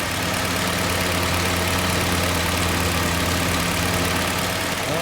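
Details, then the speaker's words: 1948 Willys Jeep CJ2A four-cylinder, warm after a short test drive, idle lowered from too high: steady even low idle, earlier rocker knock and ticking gone, oil pressure about 40 psi; purring, normal idle. "The idle was really set high, so I've got the idle down now, and it is just purring like a kitten."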